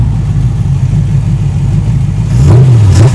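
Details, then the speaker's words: Porsche 914 with a Rover 3.5L V8 conversion and mild cam: deep, lumpy V8 burble that rises cleanly on the blip and settles back with a mild cam lope, not the smoothest idle. Sounds healthy. "Oh yeah, it does have a mild cam in it, so not the smoothest idling, but it does sound so sweet."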